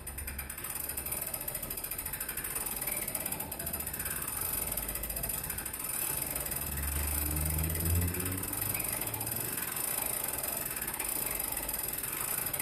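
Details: Longcase grandfather clock by John Owen, 1765, being set up: the drive-side weight is wound up on its pulley with the cord feeding evenly onto the drum. Even light clicking, about three a second, as the ratchet pawl engages cleanly; normal winding click.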